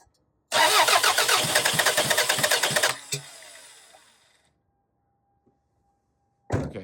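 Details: 2002 Toyota Camry, sat over 5 years, shut off while driving, coil pack wiring cut: starter cranks steadily about two and a half seconds but never catches; coil not firing, fuel smell, igniter circuit and throttle body codes.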